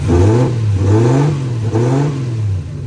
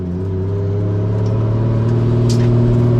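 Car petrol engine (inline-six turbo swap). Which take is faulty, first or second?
second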